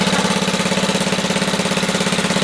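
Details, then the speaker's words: Black & Decker generator, Briggs & Stratton 5 HP, no load, choke off, governor being set for 61 Hz: steady even firing with no misses but speed a tad slow. "It's a tad slow."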